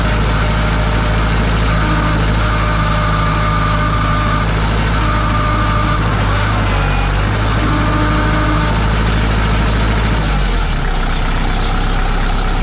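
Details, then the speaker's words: 2002 Kubota MX5000 DT diesel tractor with all-hydraulic steering and loader: steady diesel rumble with thin intermittent squeal near 1 kHz; hydraulic pump starving, no pressure, steering and bucket dead; fix was changing the hydraulic filter. "so when the pump starts to make that noise it's not circulating hydraulic fluid it's not pumping up pressure so you can't steer the steering wheel just spins and the tires don't move the bucket doesn't move it just screams on"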